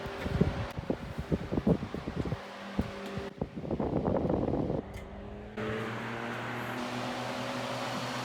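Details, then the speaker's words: Vintage Mimar 425 fan reassembled with rear felts cleaned and oiled: handling noise, then a steady hum on high speed with a light rattle riding over it, a fan rattle on high speed. "rattles a little bit on high, hoping to find that not to be the case when we get the grill back on, both grills."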